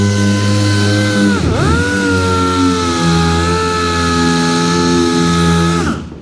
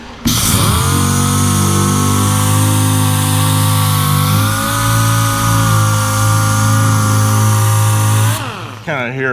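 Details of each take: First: New air sander replacing a worn-out one during bodywork on a 1966 Chevy Impala; steady high whine holding pitch at full speed, dipping briefly under load, then spinning down smoothly; running strong and healthy. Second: Worn-out DA sander used for bodywork on a 1966 Chevy Impala: steady, fairly low hum that never climbs to proper speed; the sander is underpowered and won't reach RPM, so it is being replaced.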